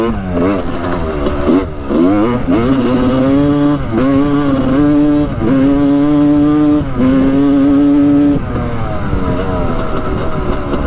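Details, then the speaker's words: 1986 Honda CR250 two-stroke dirt bike on its first ride after repairs, with the loose spark plug and loose coolant line already fixed. Revs rise and fall with throttle, pitch wavering and crisp on top; the owner thinks it still runs slightly lean, like an air leak. "my room it sounds like it's running a little bit lean here i don't know if you guys can hear that or not but it's kind of like like an air leak almost"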